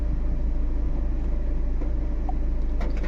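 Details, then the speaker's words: Tata Nexon diesel after repair, AC on: smooth, steady idle with an even low chug about four pulses a second, no vibration; check engine light, misfire and pickup-drop jerking fixed after wiring repair, no fault codes. "AC लगा के देखते हैं व भी एकदम proper है कोई vibration नहीं कोई प्रॉब्लम नहीं गाड़ी में"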